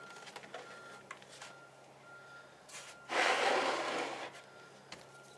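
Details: Background noise during oil change on a 2018 Kawasaki Ninja 400 ABS at 600 km: thin, high, steady beep repeating at even intervals from a neighbor's skid steer reversing alarm, in a quiet room.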